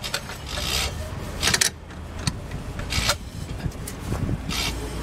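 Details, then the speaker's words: 2007 Honda CR-V LX AWD, 5-speed automatic, rear passenger-side wheel hub turned slowly by hand with a wrench on a lug nut; dry, gritty grinding and rasping surging with each push, worn rear wheel hub bearing. "right it's not supposed to sound like that it's just a turn without that"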